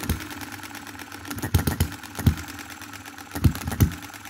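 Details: 2022 Enjomor Chinese hit-and-miss engine after fixes (spare piston ring, corrected valve timing, leaded governor weights, added spring for quicker latching): sharp firing pops at uneven intervals with coasting gaps, slow idle, clean latching; normal running.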